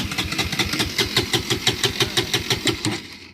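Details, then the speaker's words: Bajaj Pulsar NS200 BS6 with a fuel injector warning on the display: the starter cranks at about three even beats a second for three seconds but the engine never fires; crank no-start, fuel pump not running. "देख रहे हैं गाड़ी start नहीं हो रहा है। तो गाड़ी स्टार्ट नहीं हो रहा है तो ज़्यादा सेल्फ हम नहीं लेंगे, क्योंकि अगर ज़्यादा सेल्फ लेंगे और बैटरी डाउन हो जाएगा, डिस्चार्ज हो जाएगा, तो फिर स्टार्ट करने में दिक्कत होगा।"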